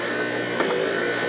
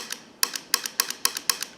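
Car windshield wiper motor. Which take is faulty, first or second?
second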